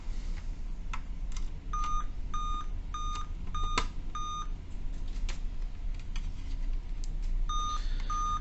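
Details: Dell Vostro 2520 laptop (DV15 MLK motherboard 11280-1), date and time set correctly yet continuous beeping: five short evenly spaced high beeps, pause, repeat; rare five-beep code tied to RTC section and PCH RTC in chipset.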